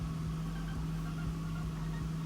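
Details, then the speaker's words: Smooth, steady idle on a 2001 Acura TL with no misfire after cleaning the idle air control valve, which fixed the P0505 check-engine code. "look rpms are back to normal I think there's no misfire no nothing excellent"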